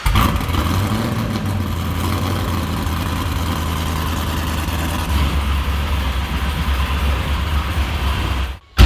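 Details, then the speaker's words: Supercharged Caprice with gigantic cam, one cylinder dead: heavy lumpy idle with an uneven stumble in the deep exhaust beat; compression not yet checked. "This thing's got a gigantic cam. It sounds very, very radical, but down on a cylinder, it sounds even crazier."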